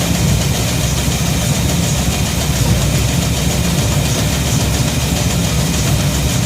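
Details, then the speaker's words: Shop truck idles with a steady, even rumble and no knocks, misses or leak hiss after a fuel system overhaul (fuel pump, regulator, filters, intake gasket, carb spacer; 3.5 psi fuel pressure); no gas or water leaks. "Got no gas leaks, got no water leaks. Runs pretty good."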